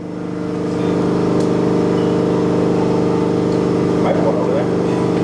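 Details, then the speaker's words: Air compressor for an automatic screen printing press, switched back on after being left off, which had let air pressure fall from 110 to 60 and triggered the low-pressure alarm: a steady hum builds and holds evenly. The compressor runs normally. "all right so my dad turned on the compressor I had it off what an idiot"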